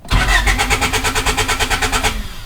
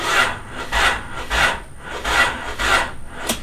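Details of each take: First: Honda Del Sol project car (not yet turbocharged) with a newly installed lithium battery: quick, even starter chug that cranks the engine extra fast. The battery is strong, but the fuel pump is not heard priming. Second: Honda Del Sol project car abandoned for years: slow dragging starter cranking about once every half second with no catch; battery dead and won't hold a charge after one recharge, believed bad.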